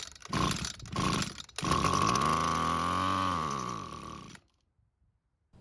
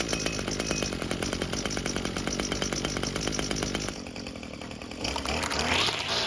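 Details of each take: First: Abandoned Echo trimmer, carb partly disassembled, primed through the carb: two short pulls, fires, revs smoothly for about three seconds and dies, running only on priming fuel. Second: Echo string trimmer two-stroke after carburettor swap, choked and purged: fast, even buzz at steady high speed, crisp regular firing, no misfires; normal running.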